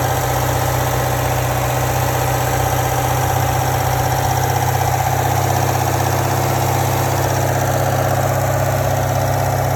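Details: 2017 C7 Corvette Grand Sport, M7 manual, at low rpm: steady V8 idle with a faint, fairly even rattle about four per second from the engine compartment; source not identified.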